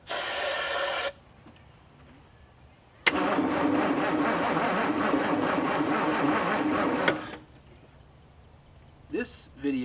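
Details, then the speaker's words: Mustang II Cobra that sat 27 years, cranked with starting fluid and a weak battery. The starter churns steadily at about four beats a second but it never catches: no spark, traced to a voltage drop at the coil positive side. "so the biggest issue that i noticed last night was uh that i was having a voltage drop at the positive side of the coil"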